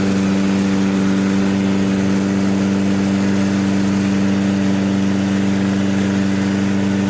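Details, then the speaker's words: Toro self-propelled mower, Briggs & Stratton, that ran 10-15 minutes then wouldn't restart; after new spark plug, carb cleaning and fresh gas, first pull: steady, even pitch without surging, sputtering or knocking; healthy. "it's cranking up first pull see what it does as the engine heats"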